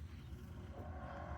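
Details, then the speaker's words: Task Force 2-gallon air compressor, about 10–15 years old, that stopped pumping: only a steady fan hum with no pumping thuds, so the motor isn't turning; cause found to be worn motor brushes needing replacement. "fan comes on but no pumping so something is not kicking in"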